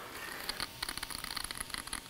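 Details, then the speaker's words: Laptop cooling fan, apparently in an A1466 MacBook Air board on the repair bench: a raspy, chattering scrape with an uneven Geiger-counter-like ticking rattle over the fan hiss from a worn fan bearing; the fan must be replaced. "a fan bearing yeah that's actually the fan bearing hear that it sounds like what my engine is gonna sound like"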